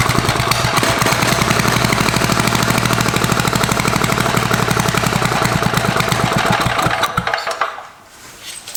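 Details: Barn-find Tecumseh four-stroke, probably about five horsepower, electric start, carburetor set somewhat better after refuel; battery not being charged: single cylinder thumps with uneven hunting beat before cutting out; starts easily but runs rough, needs carburetor tuning.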